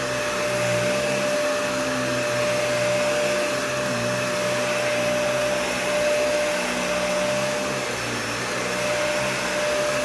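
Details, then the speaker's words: Nearly new vacuum, essentially an Animal 1, with a clean filter: a loud steady motor roar with a fixed whistle on top. The owner says the motor sounds really bad, cause unknown. "so the motor on this sounds really bad I don't know why"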